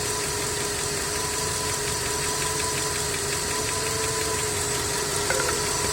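Light ticking knock over a steady idle with faint whistle tones above; a knock in the engine, cause not yet pinned down.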